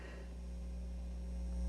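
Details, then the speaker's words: Elliott Sound Products phono preamp kit, battery powered around ±4 V, into small amplifier: constant low buzz with faint hiss, rising as hand nears or touches input; mains hum from open input, both channels working. "I bring my hand near it you can hear the hum I'll touch the input okay so both channels are working"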